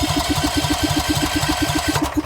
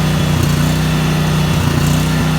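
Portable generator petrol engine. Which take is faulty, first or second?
first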